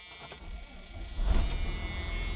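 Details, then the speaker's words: Freightliner XC diesel pusher motorhome (Coachmen Sportscoach 380MBS) after replacing the ground cable and starter relay, same starter: brief crank, then the diesel catches at once and settles into a deep even rumble; quick clean start. "there you go easy as pie well eh kind of I'll let it run and warm up and pump"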